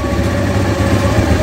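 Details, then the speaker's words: Honda Scoopy scooter after a CVT service for a rough, noisy engine: a steady, even low idle with no rattle or scraping from the belt side, running clean like a new bike. "suaranya sudah bersih seperti motor baru"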